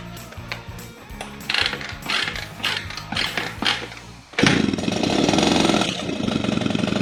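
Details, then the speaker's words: 1978/79 Honda Express 50cc two-stroke moped, parked 20+ years, carb bowl gasket leaking fuel: scattered taps and knocks, then it fires and holds a steady buzzing idle; running normally. "oh it runs it runs we got it we did it yes yes it runs it runs it"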